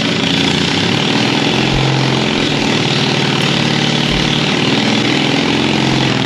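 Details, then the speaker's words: 1939 Caterpillar D4 with a D4400 diesel, test run after injectors were set and bench-tested. Steady, even idle with a low beat and an occasional faint pop; one injector slightly seeping, exhaust stack clean; normal idle. "so it sounds good it's got a little pop I got a little bit of a seep on one injector I need to fix up no big deal"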